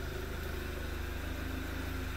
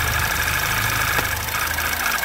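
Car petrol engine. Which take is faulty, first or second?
second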